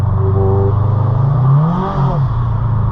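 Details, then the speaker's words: 2010 Subaru Impreza hatchback on test drive, window down, clutch biting at top of pedal: revs flare with rising drone but car doesn't pull; clutch definitely slipping, later replaced. "Yeah, that is definitely slipping. Shane, how on earth have you been driving around in this?"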